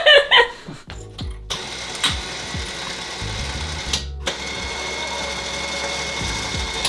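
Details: Tusk 2500 lb winch just installed on a Honda Rubicon ATV, first test after wiring the hot lead. A steady, even electric motor whir runs for several seconds with no grinding, knocking or hesitation, so the winch motor is running normally.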